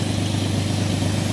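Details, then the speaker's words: 2003 Ford Explorer 4.0 V6 just after replacing all six spark plugs (old ones fried, left bank worst): fires right up into a steady, even idle with no misfire or ticking; left running to let coolant circulate. Normal idle. "It sounds good. Fire right up, guys. I gotta let it run for a little bit just because of the coolant."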